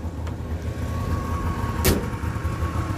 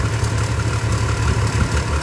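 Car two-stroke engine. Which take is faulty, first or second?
second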